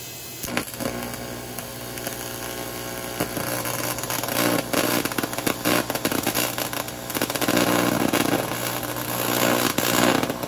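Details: Econo TIG welder (vintage) after control board repair and updated high voltage impulse transformer, welding a project: steady harsh electric buzz with crackle rising and falling with the torch; stable arc, welder working normally.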